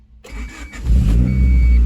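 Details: 1990-93 (CB7) Honda Accord, manual, after alternator replacement for a battery light from undercharging: short crank, engine catches cleanly and settles into a strong, even idle with no stumble; battery and ABS lights now off; healthy start.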